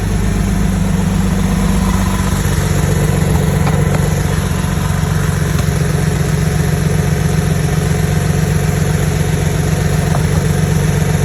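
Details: Porsche 991.1 flat-six with code P0301 and a misfire on cylinder 2, idling: uneven, stumbling pulse about four times a second; single-cylinder misfire suspected.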